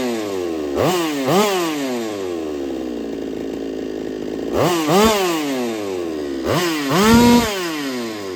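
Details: Holtzfforma 395 two-stroke chainsaw, freshly ported, first run: it revs up and drops back in repeated bursts with a rough, rattly edge; squish measured 0.018 in against a 0.028 in target, and the owner suspects the tight squish causes the rattle.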